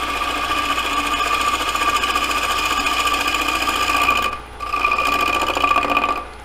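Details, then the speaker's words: Lathe turning a square bowl with a light cut. The corners flying past the tool make a fast, even ticking "dot" noise over the hum, from cutting wood then air. This intermittent cut is normal. "And you can hear the corners fly by because they make that little dot noise."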